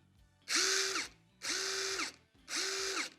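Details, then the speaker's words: Genuine DeWalt DCF850 impact driver, free-run sound test against a counterfeit copy: three short trigger pulls, each crisp even rapid hammering over steady motor whine, clean start and stop; this is how it should sound. "좀 센 느낌이었는데 정품 틀어보니까 바로 요거거든요. 여기 이런 소리가 나야 되는 거거든요."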